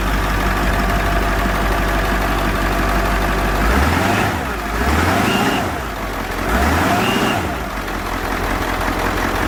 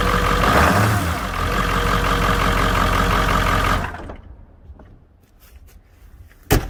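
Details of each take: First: Bus with Ford 7.3 Powerstroke turbo diesel (engine sat for years) after fresh oil put into the high-pressure oil pump reservoir, compared with a loud 289,000-mile 7.3 truck; smooth, fairly quiet idle, clean rev blips, then shutoff, no harsh clatter; normal idle. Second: Ford 7.3 Powerstroke turbo diesel, 1997 truck with 289,000 miles, loud at idle for years: heavy, coarse steady clatter over deep rumble until shutdown; owner suspects old oil in injector reservoir making injectors noisy.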